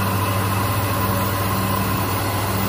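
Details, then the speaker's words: Hyundai Accent/Verna that would not crank: after replacing the faulty starter motor with a Mitsubishi unit, the engine starts and holds a smooth, even idle with no knocks or misses. The starter was the fault. "Nah hidup ya, ternyata dinamo starter. Sip."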